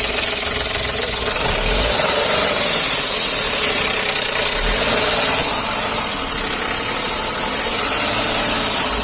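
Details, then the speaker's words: Datsun redi-GO engine at the front: dense metallic clatter of about three raps per second, worse when accelerating, persisting with alternator, water pump, and compressor belts removed; failed timing belt tensioner let the belt run loose. "Start करने के बाद इस तरफ से इसमें आवाज़ें आ रही है, एक्सीलेटर देने पे और ज़्यादा आ रही है, कड़क कड़क कड़क कड़क इस तरीके से।"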